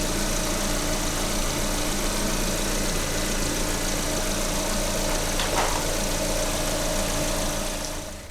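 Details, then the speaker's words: Lada engine 21127 at 27,500 km, idling, stethoscope on the timing belt tensioner pulley: even, steady whirr with no rattle, scrape or grinding. Tensioner bearing sounds normal, while the idler pulley squeaks slightly. "Натяжной, ну, натяжной вроде нормально."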